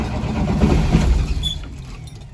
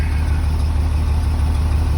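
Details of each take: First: 2003 Blue Bird bus, International DT466E diesel, cold start at 11°F, not plugged in, unrun for about a week, after a shot of ether: steady cranking about four turns a second, catches briefly then dies; nearly fires. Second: 2003 Blue Bird bus, International DT466E diesel, just started at 11°F after jumper cables and ether, building air: deep, even idle with smooth steady rumble, no knocks or misses; normal cold-start run.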